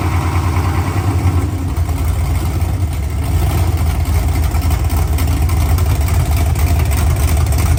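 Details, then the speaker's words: First fire-up of an OBS truck engine on open headers, O2 sensor reading erratically. Loud, raw, low rumble, slightly uneven and hard to keep running, air-fuel ratio all over the place, but no knocks or ticks. Normal idle. "well it runs I was trying so hard to keep it running the air fuel ratio is all over the place because it's open headers"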